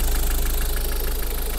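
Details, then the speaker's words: Used Ford Focus engine at idle during pre-purchase inspection, recently washed engine, slight intercooler oil seep, some soot past turbo: smooth even low idle, no whistle from belt tensioner pulley; engine runs normally. "То есть он ролик не слышно, чтобы свистел, но мотор в полну, в принципе, работает нормально."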